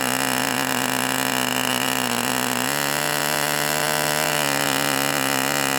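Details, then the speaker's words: Enya 40 TV Model 6002 glow engine on break-in heat cycle two at full throttle. High buzz with a wavering pitch that keeps wanting to go into two-stroke mode; it was leaned one click, then richened back. Rich four-stroking, as intended. "And you could kind of hear it want to go to two-stroke mode where it kind of go you you could hear the pitch change periodically. And I leaned it one turn, one click, but I just richened it that click now."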